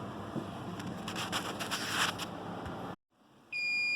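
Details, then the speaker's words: A home server PC's LSI RAID card sounds a steady, high-pitched, continuous alarm tone for a degraded array. It is still sounding after booting with the failed drive replaced, because the array rebuild has not yet been started. "And as you can hear, the alarm is once again going off. But, uh, that makes sense since I have not yet told it to rebuild itself."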